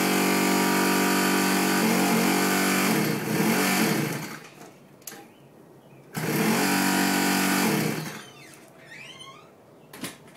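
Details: X-1 pocket bike on electric start: small engine buzzes evenly a few seconds then fades and dies when the starter is released, twice; won't keep running on its own.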